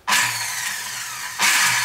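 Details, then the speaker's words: Electric servo drive on a sewing machine, left plugged in overnight. Harsh, hissy whirring with a low hum that cuts out and surges back, hammering on and on; the drive then stopped working and appears to have failed. "Ну, короче, звук вот такой вот, он молотит и молотит, молотит и молотит."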